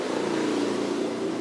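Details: Sony MHC-W2800 mini hi-fi cassette deck after repair of sticking tape mechanism, belt suspected too tight: steady even whir, no wobble, drag or surging; tape playback speed acceptable.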